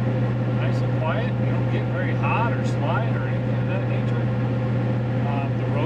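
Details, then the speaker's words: Mickey Thompson Deegan 38 315/75/16 mud tires on a Ford F350 7.3 Powerstroke, heard in the cab at highway speed with the window up: a low, steady drone with no thumping or rising howl. Normal tire road hum. "take the window up and you can hold a somewhat decent conversation with somebody without yelling like you're a Tiner or something but uh yeah that's pretty much it not bad tires you go down the road nice and smooth"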